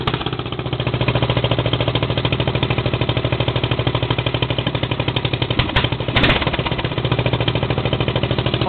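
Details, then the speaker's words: Riding mower engine warming after no-choke cold start with throttle slightly open: regular, even thumping pulses at a steady pace, brief bump midway; warmed up enough to idle by itself, running well. "all right I think it's warmed up enough to idle by itself well it's running that pretty good too yep it still sounds good"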